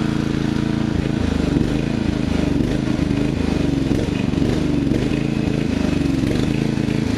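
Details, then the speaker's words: Murray riding mower, first use this year after long shed storage and a mice nest cleaned out, stumbles and dips irregularly after cutting half to 3/4 of the lawn; owner unsure, maybe overheating, and may be simulating it by working the choke. "I was cutting about half to 3/4 of the lawn before it started doing this. So maybe it's an overheating problem, I don't know."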